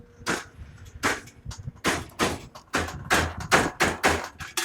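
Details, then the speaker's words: Chinese electric mini-truck conversion on its first shakedown drive, geared for 95 mph: loud sharp clunks in bursts about every half second under load as the slack drive chain skips sprocket teeth; tightening might help. "So, it's just skipping. >> Yeah, it's skipping teeth. Bad."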